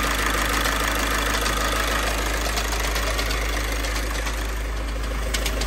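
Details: VW TDI diesel with DSG at idle: fast, uneven metallic rattle from engine/gearbox riding over the engine beat; confirmed worn dual mass flywheel.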